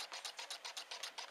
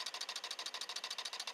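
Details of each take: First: Newman pulse motor on nearly dead batteries with capacitor, two coils alternately firing on horizontal magnets: even sharp clicks about six or seven a second, running slowly; weak battery supply. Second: right now it's just running just with the batteries so then I'm going to touch this onto the positive you can hear the difference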